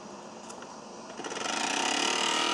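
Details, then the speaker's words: BP Microsystems Silicon Sculptor 3 device programmer, powered up with cover off: faint airy hum climbing to a steady high whir from one small internal fan; noisy cooling fan. "this is powered up with the cover off oh there's those again definitely is going to need definitely is going to need fans"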